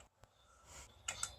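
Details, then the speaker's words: Bench PC power supply with nothing connected, before testing a repaired Asus J1800I-C/BR board: faint sharp ticks at uneven intervals; supply faulty, board would not power on, reading 10 volts. "Sozinha, mesmo não estando conectada a uma placa, ela estava fazendo barulho. Ainda continua fazendo barulho, mas vou tentar ligar mesmo assim."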